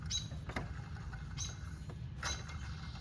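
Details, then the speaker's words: 2004-2008 Ford Focus idler pulley, belt removed, spun by hand: dry squeaky chirps over a low rumble from a worn bearing, the same noise heard with the engine running; water pump and power steering pump quiet. "Hear that noise? That is what we're hearing when we're running our car."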